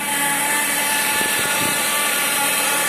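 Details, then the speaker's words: Ford Mondeo IV power steering pump whine with a strong hiss over the idling engine. Owner says it hums in the mornings and stops after about half an hour once warm; air leak under intake manifold gaskets, noisy idler rollers. "гудит насос ГУРа."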